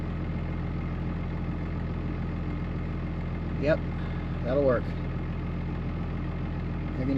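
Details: 2005 Ram 2500 diesel after FASS lift pump and fuel line replacement: steady, even low rumble at idle with a few chirpy noises over it; no knocks or misses, oil pressure good, running smoothly.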